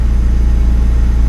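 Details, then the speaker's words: Turbo Acura RSX Type-S running smoothly with a deep, even idle on first start after upgrading to a Walbro 450 fuel pump. The pump primed loudly. "So we're going to go ahead and try to fire it up. Running really good."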